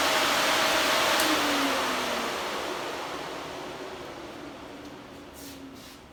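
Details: Electric radiator cooling fan on the Old Hank project car: strong steady air rush, pitch easing as it spins down. Quieter than the 57 Chevy's fan; the fan motor sounds healthy.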